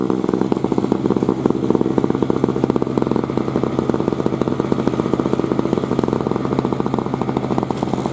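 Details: 2003 Murray single-stage two-stroke snowblower, unrun 5 years, clearing snow: crisp, rapid firing holds a steady, even, unbroken buzz. Engine pulls cleanly and runs healthy under load.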